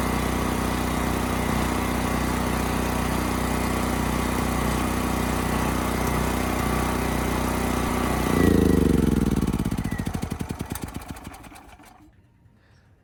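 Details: Westinghouse 7,000-watt generator after carburetor cleaning, under 3000-watt load: steady drone holding constant speed, then smooth wind-down at shutdown. Multimeter confirms around 60 Hz target; Kill-A-Watt reads 75–80 Hz; governing properly.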